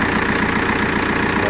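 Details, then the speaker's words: Opel Vectra C 1.9 CDTI wagon diesel at idle: steady, even clatter with no misses or uneven knocks, engine running smoothly; a belt or pulley whistle was noted at start. "мотор работает ровно."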